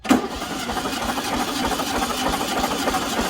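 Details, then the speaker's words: 1974 VW Super Beetle during a compression test, spark plugs out, coil wire disconnected, throttle fully open: even steady starter cranking with regular compression pulses and no firing; normal cranking. "another thing i like to do when i'm doing a compression check is i always when i'm cranking it over i have the throttle fully open"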